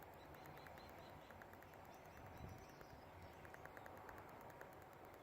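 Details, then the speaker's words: BMW E60 520d parking distance control test, bumper sensor touched: faint, rapid, even ticking showing this sensor is active and working; another front sensor is dead and needs the bumper off. "the know he can hear that so you're clicking ticking sound so the back is okay"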